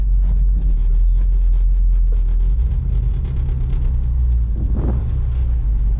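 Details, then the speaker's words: 1967 Chevy Camaro RS small block 350 with turbo 400 and shift kit, first drive after a year in storage: deep even V8 rumble pulling away and cruising, no knocks or misses; normal running. "sounds all right yeah it doesn't sound bad Drive is pretty straight not bad at all"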